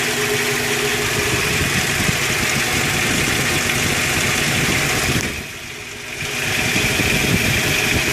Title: 2001 Toyota Tacoma Prerunner 2.7l clatter noise